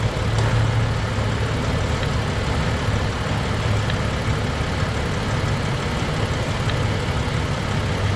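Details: Jeep idling after brake booster check valve replacement and new hose clamp, testing for the earlier whistling/squealing when the brake pedal was pressed: steady, even, low smooth idle with no whistle or squeal, normal.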